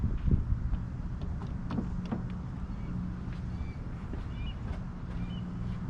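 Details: 1968 Lincoln Continental 462 V8 after oil change to Rotella diesel oil to cure valve tick: even low idle with steady rhythm, no pronounced valve tick, much quieter; faint wind over microphone, healthy idle.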